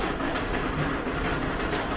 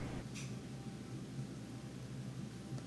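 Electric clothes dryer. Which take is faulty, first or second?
first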